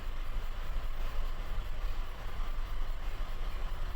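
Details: Engine with flashing check engine light and rough, lumpy idle: misfires logged on most cylinders, highest on cylinder 4. Loss of compression leaves a cylinder completely dead, misfiring and reducing power.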